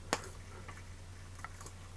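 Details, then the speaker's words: A sharp electrical snap, then faint irregular crackles over a steady mains hum, as two wire ends are brought together to test a Hager AFDD: high-energy series arcing at a loose connection, which the AFDD did not trip on. "that is definitely not a motor signature that is very much a loose connection and anybody who goes oh well that's just sparking not arcing David well no that is unlocking that's a series Arc that's a loose connection high energy"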